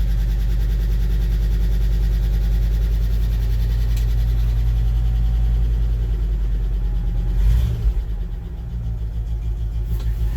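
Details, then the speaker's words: 1970 International 1200 3/4-ton 4x4 pickup that sat 30 years, started after sitting over a week in cooler weather, idling on its own: steady, low, even idle with a brief blip near the end; running smoothly, nothing wrong heard. "And it's idling on its own."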